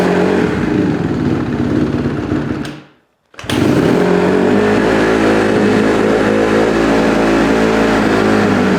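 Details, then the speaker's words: 2008 Honda CRF150RB dirt bike, rebuilt but running poorly, carb suspected: single-cylinder thumps at a steady, raised idle that won't drop, dies on throttle; owner suspects an air leak, running lean on a too-small pilot jet. "so one issue that we're having is the idle is really high I think it's getting some air in from some place"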